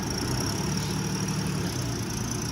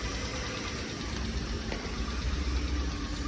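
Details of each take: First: 2008 Ford Explorer at a tow-yard auction, jump-started with a jump box: low, steady idle holding one even tone with no knocks, surges or misses; it started right up, moved backward and forward, and sounds pretty good. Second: 2002 Chrysler Sebring convertible, jump-started, idling: light, quick tick about four per second over the engine; ticking at idle, cause unclear.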